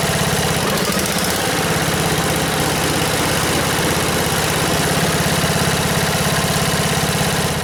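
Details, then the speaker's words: 1977 MTD 990 (Dayton-badged, 16 hp) lawn tractor after a no-start electrical fault was fixed: single-cylinder engine idles with a steady, even putter, not revved high, no misses. Normal idle. "Well, that sounds pretty good. I don't have it revved up very high, but uh the deck engaged and try cut some grass."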